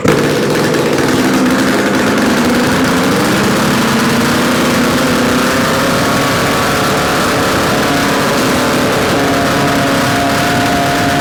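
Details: Yamaha RD250 two-stroke twin, bench-mounted on a stand with total-loss ignition, run after swapping the coil wires: crisp, steady fast idle with no knocks or rattles; no mysterious noises, likely a good engine.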